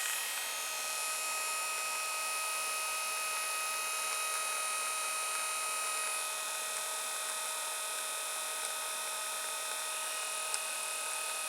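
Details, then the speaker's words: Brushed 24 V 350 W 3000 rpm eBike gear motor BY1016Z, 9.7:1 reduction, about 300 rpm output, shredder drive, unloaded on 24 V at full speed: steady constant-pitch high whine and even hiss, no rattles or grinding; running normally. "I mean, if you had that on a bike outside in the traffic, whatever, I don't think you'd hear it very much. And probably this is, well, going full pelt, I reckon."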